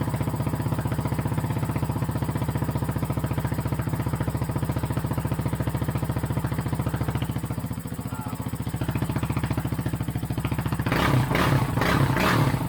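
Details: 2008 Kawasaki KFX450R sport quad, sat unused and would not start, running on its original fuel injector: steady, even single-cylinder thumping with no misses or knocks, very loud through an exhaust whose baffle was possibly tampered with. Normal running.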